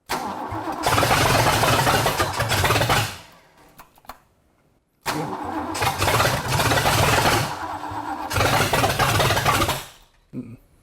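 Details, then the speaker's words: Ford engine first start-up with a known-good Edelbrock carburetor from a Gran Torino: two long cranks with uneven sputters that never run. No fuel pump was hooked up, and more timing is suspected. "What do you think's going on? I do not know. Well, one thing, we don't have a fuel pump on."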